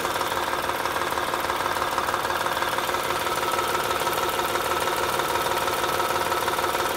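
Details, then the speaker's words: 2007 Honda Odyssey Touring 3.5 at idle heard through a stethoscope on the timing belt tensioner; steady whirring rattle with faint tick about three per second; alternator bearings also noisy. "lo estamos poniendo en el sensor en este lector de la banda de distribución ahí es donde escuchamos la mayor parte del ruido"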